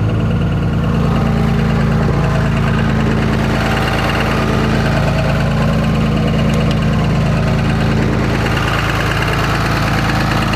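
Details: Cummins diesel at idle: a regular, fairly even knock about three and a half per second over the engine; suspected rod knock, not confirmed.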